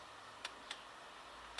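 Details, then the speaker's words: Homemade diesel heater controller on a Chinese diesel heater: sharp, isolated dosing pump ticks with very long on-pulses, still pumping when it should stop. The thermostat range is suspected to need adjusting: dosing pump keeps pulsing after shutdown. "you can hear that very long on pulses which is not what we were looking for yeah I need to adjust the um thermostat range so it switches off before now still pumping pumping"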